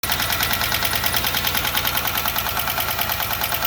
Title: 3800 V6 loud ticking noise- one day IT JUST STOPPED and ran perfect again.